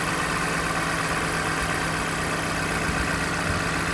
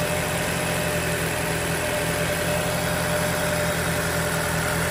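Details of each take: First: 2020 Toyota Camry four-cylinder, 50,000 miles, with a cylinder 4 misfire only on cold first start: a steady, even idle hum with no stumbles or skips once settled after the cold-start shake; normal idle. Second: 2020 Toyota Camry 4-cylinder, about 50,000 miles, rough idle only on cold first start: irregular low shake and stumble through the hum, returning to normal afterward; a cylinder 4 misfire is suspected, not confirmed.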